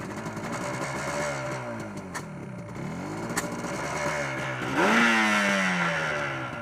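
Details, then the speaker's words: Yamaha RD400 two-stroke twin on its first proper run, still cold and warming up: revs climb unevenly, lumpy and hesitant. One cylinder appears not to be firing; cause not confirmed. "No fire on that cylinder, is it?"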